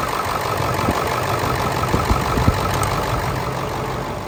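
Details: Ford 7.3 Powerstroke diesel, started in the morning at about 70 degrees outside, earlier seen with blow-by: even idle clatter over a low rumble, no knock or miss. Exhaust smoke cleared after running; owner suspects an injector.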